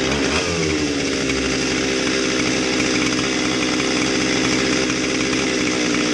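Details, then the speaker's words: Husqvarna 257 chainsaw, customer's non-starter, first start after fuel line and trigger repair: settles into a fast, steady high-pitched two-stroke buzz with no drop to a slow idle, running pretty fast at idle; high idle speed. "so at first i was kind of nervous there it was running pretty fast at idle"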